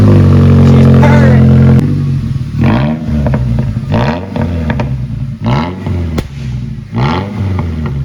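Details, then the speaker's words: Ranger prerunner truck, cold start after an oil change and a cleaned air filter. Several quick revs rise and fall cleanly over a steady cold idle with audible exhaust, no misses or clatter; healthy engine. "Let's start this yonke. Don't look like you got any. Nada. Hear the exhaust one. A little cold start."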